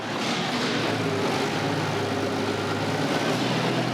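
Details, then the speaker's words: Big diesel truck after new injectors and new Pypes 7-inch exhaust stacks, first start: deep steady roar swelling slightly with throttle, smooth with no knocks or misses, more responsive than ever; healthy engine. "Oh, that sounds so good. Those Pypes exhaust sound amazing."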